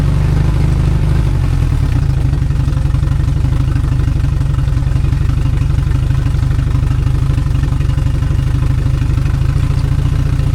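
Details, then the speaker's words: 2002 Yamaha 90 hp outboard revived after sitting two years, first start after reassembly, idling at 800 rpm: steady low idle with a faint irregular hiccup; owner suspects a carb screw needs adjusting. "So, I got it idling to spec right now. It's a 800, but there's a little You can hear that there's a little hiccup. So, I got to investigate."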